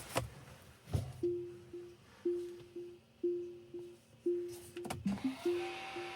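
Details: Six-month-old Tesla Model Y with new Kimblade Carbon aftermarket wipers on a clean windshield: short high squeaky chirps, one per wiper stroke, blades chattering on the glass; original OEM wipers are silent.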